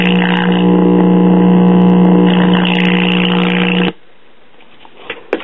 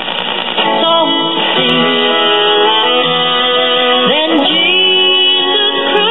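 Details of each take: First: New-old-stock, possibly never-used 1965 Magnavox 5-tube AM clock radio: loud, steady, low buzzy hum that cuts dead when switched off. Bad filter capacitor; the clock is also dead. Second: Apparently never-used 1965 Magnavox 5-tube AM clock radio with new filter capacitors: clear music with no hum, crackle or fading, AM-like cut treble; playing normally.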